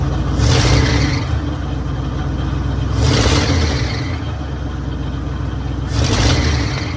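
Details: 1966 Mercury Monterey big-block Ford V8 idling after a fuel leak fix, now running on its own: deep, steady burble with an even low rumble and light throttle blips; idles smoothly and sounds healthy, running like a top.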